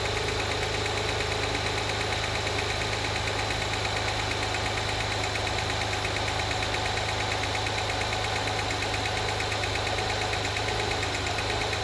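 A light, even ticking rides over the idle at about 100 per minute and would track engine speed; source unconfirmed, needs investigation.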